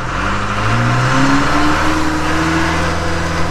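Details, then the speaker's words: Backhoe moving off after replacing the scored control valve; it used to need revving to move. The engine pulls smoothly from a low rumble to a firm, steady note under load with no slipping or clunks. Normal drive operation. "it never used to do you always had to rev it up to get the move yeah baby i'm happy"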